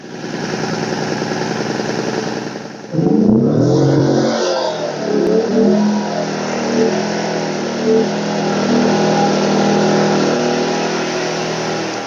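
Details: WEN 2000-watt inverter generator, one year old, after clearing clogged spark arrestor from no-start: catches after rough stumble on choke, settles into steady, even hum while warming; running normally.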